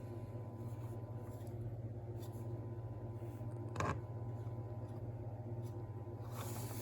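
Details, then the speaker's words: Marshall DSL40CR guitar amp after quick repairs: steady low hum with a faint buzz under freezer noise; singing transformer; tightening screws is planned. "One thing I've noticed though, I don't know if you can hear that little buzzing there. I hope you can hear that over the bloody freezer that's in here. Um but we've got a singing transformer."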